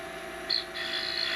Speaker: Starting to get a little bit of harmonics because we are getting very very thin.